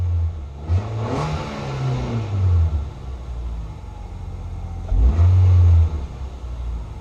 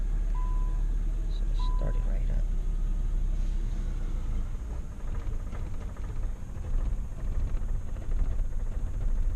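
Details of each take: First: 2006 Nissan Sentra 1.8L with a no-power and rough-idle complaint, during fuel pump replacement; it could also be the alternator. The engine starts and gives two clean throttle blips, revs rising and falling smoothly with no stumble or misfire. Normal revving. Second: Starter cranks several seconds, roughly ninety beats a minute, before catching on a 2006 Nissan Sentra 1.8L with no power and rough idle; long crank from a failing fuel pump, before pump replacement.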